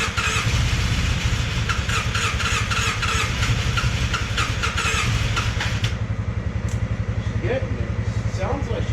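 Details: Polaris Sportsman 600 with almost no compression: fast, light, even cranking at about four pulses a second that never catches and then stops. Low compression, so it barely fires.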